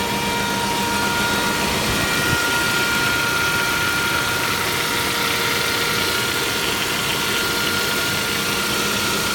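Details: Saab 9-5 Aero petrol engine idling with a steady high whine and faint rough whirring; service first suspected the oil filter in the sump, but it was a failing water pump.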